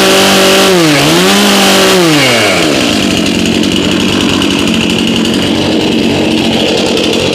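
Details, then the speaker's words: Chainsaw from a 2021 lawn care fleet, started at about 30°F after 5 months on untreated ethanol-free fuel, chain loose. It fires straight up, revs rise and fall cleanly, then settles to a steady, even idle with no misfire: normal running. "okay no surprise there chainsaws always seem like they want to start no matter what kind of condition they're in"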